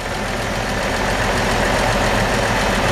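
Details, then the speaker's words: 1964 Chevrolet C-10 short bed pickup with manual transmission, described as mechanically sound and running like a top: even, settled idle rhythm with no tapping or stumbling; the old six ticks over smoothly and healthily. "So this truck is very mechanically sound. Nice sound, smooth sounding little engine. Runs like a top."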